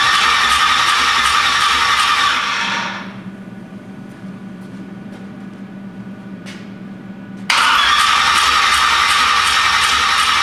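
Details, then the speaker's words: 427 big-block Chevy on a new engine run stand, open headers, first crank without ignition: even, quick starter churn near four beats a second, engine turning over without firing; starter sounds slightly laboured, cause unclear. "I don't know if that starter sounds as happy as I'd like it to, but everything sounds all right."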